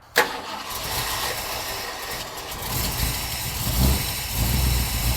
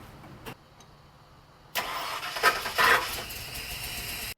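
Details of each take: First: Ford OBS Bronco, likely 302, with a starting issue, fired up after wiring modifications and idle reset: starter spins briefly, engine catches cleanly and settles to a steady, slightly lumpy low idle; starting circuit now works. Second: OBS-era Ford Bronco with a starting issue, after rewiring the starter cable to the hot side of the solenoid: the starter gives a harsh, gritty grind for over two seconds without catching, pinion not meshing cleanly with the ring gear.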